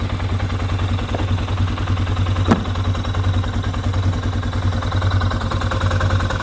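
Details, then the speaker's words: Polaris Sportsman ATV after parts replacement, running with some parts still off: a deep, even low thump with a steady rhythm and no knocks or rattles, idling smoothly and healthy. "this thing will run like [ __ ] without this on there about to start losing stuff sounds good sounds healthy"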